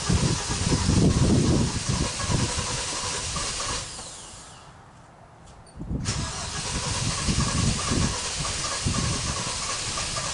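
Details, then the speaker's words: 2017 Kia Optima 2.4, burning a quart of oil every 825 miles, first start after a Berryman B12 and Liquid Moly flush soak to unstick the oil rings; long rhythmic starter churning, a pause, more cranking before it fires, a hard start. "Took a long time cranking to get this thing started. That's what they kind of showed you on the other video."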